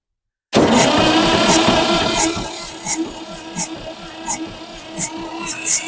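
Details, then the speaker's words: 1962 Massey-Ferguson 35 Super Deluxe with a 3-cylinder Perkins diesel, glow plugs heated and starting aid used; slow, uneven cranking with a compression puff about every 0.4 seconds and some smoke, but it never catches; the owner suspects more glow-plug time is needed. "I had a little bit of smoke coming out so maybe I need to hit the glow plugs one more time"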